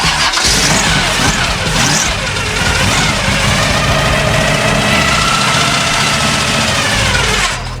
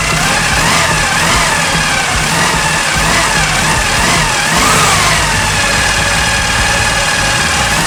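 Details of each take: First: 1974 Chevy Nova that sat for years, long rough cranking: it stumbles and half-catches with uneven firing on super old gas, and the fuel filter is to be swapped. No engine knock is heard; the loud gear-on-gear timing chain is noted. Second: 1974 Chevy Nova, 4-barrel carb, air filter housing off: a strong steady engine note with throttle blips pulls up and settles cleanly. It is running good.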